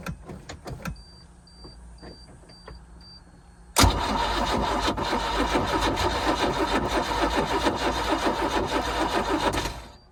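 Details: 4.3 MerCruiser boat engine with a recently swapped starter, which ran twice at the lake then shut off; tried after priming. A few clicks, then about six seconds of hard cranking without catching. Owner suspects heat soak, not confirmed.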